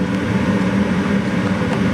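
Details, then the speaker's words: Gas furnace that kept turning on and off, after its flame sensor was cleaned with sandpaper: a steady, even low roar that no longer cuts off; the burner flame stays lit normally. "Now it's time to turn on the furnace. You hear that? That's the flame."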